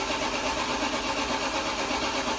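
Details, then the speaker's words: BMW E46 M3 that has been sitting broken, cranking: starter turns the engine over at an even steady chug but it never fires; crank, no start, fuel suspected to have gone off. "No, I definitely think the fuel's gone off. >> Sounds like a broken lawn mower."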